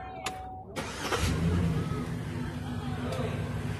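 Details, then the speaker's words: GMC XUV V8 with a lifter tick: starter turns briefly and the engine catches a beat late before settling into a steady low idle. Hesitant start, like the motor got stuck; cause unclear, and the tick then faded. "was weird that was almost like it didn't want to start like the motor just got stuck"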